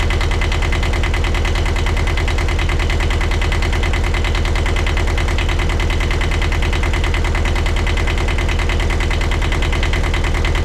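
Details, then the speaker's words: 1982 Catalina 30 small marine diesel, after replacing the blocked exhaust manifold that caused poor cooling-water flow, with thermostat and water pump refitted: steady, even chug of about three beats a second with no misses or knocks. Healthy idle. "All my hoses are connected again, so we're gonna turn this thing on, and we're gonna start it up, see what happens."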